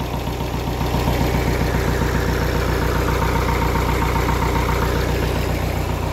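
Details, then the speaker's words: Kia Carnival diesel, idling to warm up and charge the battery after a short circuit, turbo fine, thick smoke: an uneven stumbling idle, two to three lumps a second, out of sync. "Suaranya tidak sinkron dan tidak stabil. Turbocharger-nya baik-baik saja."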